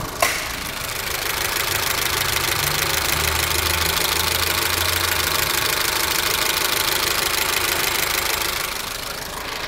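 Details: 2007 Honda New Civic 1.8 gasoline, 117,000 km, idling: fast, fairly even light ticking about twice a second over a hissy engine; valve clearance tapping almost certain despite valve adjustment supposedly done weeks earlier.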